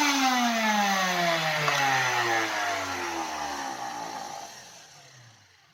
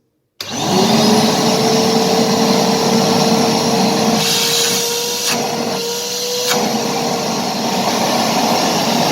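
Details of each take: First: Karcher WD 2 wet/dry vacuum still roaring loudly with a rough whine sinking in pitch as it spins down after motor bearings were replaced; owner suspects construction debris stuck on the turbine fan blades. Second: Karcher WD 2 shop vacuum, previously roaring loudly, runs with a steady, even whine and airflow hiss after motor bearing replacement and turbine cleaning. There is no rattle or grinding, and the turbine cleaning fixed the noise.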